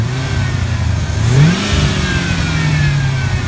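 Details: Chevy S10 with 4.8 V8 and T5 transmission, revving: a thin whine climbs and falls with rpm, absent cold but appearing once warm. It comes from the power steering pump despite full, clean fluid; small bubbles are seen when revving, and internal valving is suspected.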